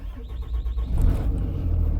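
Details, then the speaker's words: Cummins-powered RAM 3500 Mega Cab start, preheater working: brief cranking then catches within a second into a steady low rumble; no longer puffs white smoke at start, clean quick start. "Truck fires right up. Um the only difference that I notice is uh it doesn't puff white anymore when I fire it up. Okay, now it's just clean."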